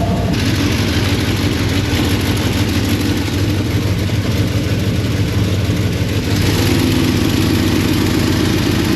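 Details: Engine idling with a slightly uneven, stumbling beat under a steady drone. One injector is suspected as the cause, since the engine runs better with it disconnected. Misfire at idle.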